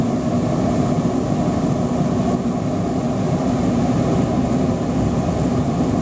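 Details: Torpedo waste oil burner running on waste vegetable oil, lit with diesel and burning paper instead of gas preheat: constant deep roar with a rushing edge as the flame runs steadily; normal burner roar.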